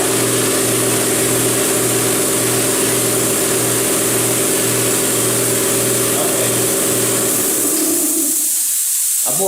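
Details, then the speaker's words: New Ingersoll Rand 20-gallon Garage Mate air compressor on its first run after unboxing, tank drain ball valve found open; smooth, quiet low hum with a steady throb and no knocks or rattles, then winds down. "That sucker is freaking quiet. Real quiet."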